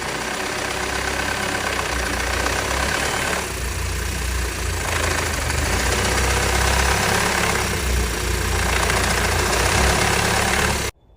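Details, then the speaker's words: Audi EA888 petrol engine at idle: metallic clanging clatter from the top of the cylinder head, about four knocks a second, attributed to intake camshaft wear at the front timing adjuster with excess play; no metal shavings found, wear not severe. "声音来自缸盖的上部。根据经验，像 EA888发动机发出这种声音，一般都是凸轮轴磨损造成的。"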